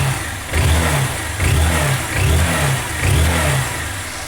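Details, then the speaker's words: Honda Fan 160 2020 motorcycle after reassembly following camshaft play noise and oil change: four clean throttle blips, revs rising and falling with no knock or tapping; engine noise gone, normal revving. "tudo montadinho já já mandei tudo agora funciona ela ligar aqui a chave aí galera nada de barulho troquei o óleo tava muito feio aí a gente trocou o óleo de novo é o barulho sumiu"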